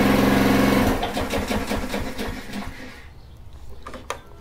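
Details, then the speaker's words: Honda mower with an aftermarket carburetor and little to no compression felt, choke on: weak chugging at about four puffs a second that fades and stalls within three seconds; weak chugging on choke, engine dies, carb suspected. "when you put the choke on, it should chug. This wasn't really chugging. I mean, it was a little bit, don't get me wrong, but not the amount that I think it should"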